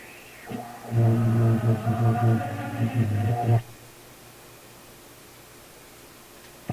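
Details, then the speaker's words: Marconi 201A AM/shortwave radio, tuned near 18 MHz with volume at full, after replacing a wrong-value capacitor: low droning howl with wavering overtones rising about three seconds then cutting off; regeneration-like self-oscillation, volume control suspected. "Volume Up full it's like there's a regeneration going on"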